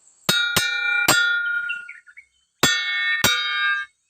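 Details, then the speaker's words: Mitsubishi 3.5 hp brush cutter blade, tap test during daily inspection: sharp metal taps give a short, dull ring that dies quickly instead of sustaining, indicating a blade cracked near the center hole that is dangerous to use. "อ่ะอีกนับร้อยที่เขาจะแตกนะครับอ่ะก็อันตรายนะครับมีเสียงมันจะแตกต่างครับ"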